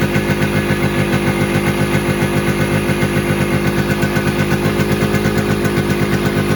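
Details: KB100 two-stroke motorcycle idling with an uneven popping beat, about four pulses a second, wavering and unsettled. Mileage is fine, but the carburetor's slow-running circuit is not yet tuned; the exact cause is unconfirmed.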